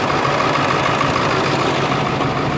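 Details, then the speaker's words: 2011-2016 Ford Excursion 7.3 diesel with a water-damaged IDM, first run after months sitting, following starter and fluid work: loud, slightly uneven clatter with a hint of chop; choppy rough idle, blamed on not having run for months, unconfirmed. "He says it sounds like it's choppy. Hey, this hasn't ran in months. Yeah, it's going to be choppy."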